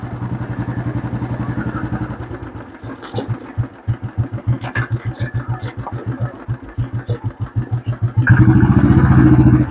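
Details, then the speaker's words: Royal Enfield Classic 350 after front-end repair (front wheel bearing/shocker area tightened), riding test: even single-cylinder thump rising with throttle, the earlier khat-khat knock from the front while riding is gone; no front-end knock. "तो अब इसके अंदर जो problem थी वोह सही हो चुकी है चलाक मैंने आपको दिखा दिया है कि जो पहले खटखट की आवाज कर रही थी वो अब आवाज इसके अंदर नहीं है"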